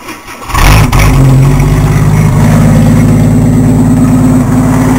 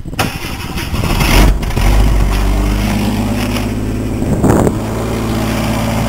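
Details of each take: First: Engine with the muffler removed, open pipe: catches after a brief crank and settles into a loud, deep, steady, harsh drone at idle. Loud exhaust from the missing muffler. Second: Truck after fitting new muffler on metal mount, tailpipe not yet added: catches after a short crank and settles into a steady, even, much quieter idle with no rasp or drone; normal exhaust.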